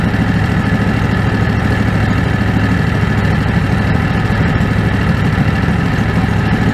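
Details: Predator 670 V-twin after adjusting the stock carburetor (brass caps removed). Even, steady low thumping idle with no hunting or surging, holding speed well. Factory idle was unstable; now stable.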